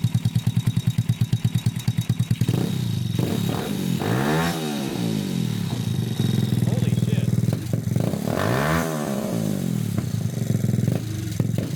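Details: Honda Grom clone single-cylinder after a valve adjustment: an even, quick idle, then two clean throttle blips dropping back, no popping or ticking, no exhaust leak felt. Normal idle.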